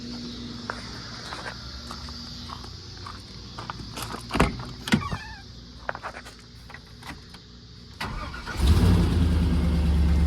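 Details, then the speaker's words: 1995 Chevy K1500 after LS swap fires right up on first crank, catching into a deep, strong V8 rumble; normal start, though tach reads off and tuning still needed; exhaust leaks noted. "fires right up. The tack is off. Got to do some tuning there, but other than that, everything else works."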